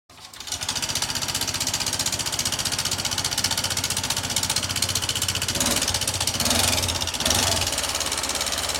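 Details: Honda Vario scooter engine with a "rough engine" complaint: harsh, rapid metallic clatter from the top end, caused by a worn rocker arm bearing.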